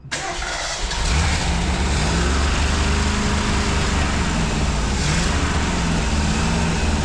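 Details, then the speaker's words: Test run of a 1965 Ford 289 4-barrel V8 (225 hp) with 4-speed top loader in a 1955 Ford pickup; lumpy, wandering, uneven idle and blubbering, shaking when revved, caused by incorrectly set ignition points, carburettor also due a kit. "well you probably heard it uh blubbering a little bit there when we'd rev it up and start shaking and stuff uh what we found was that the uh points were not set right"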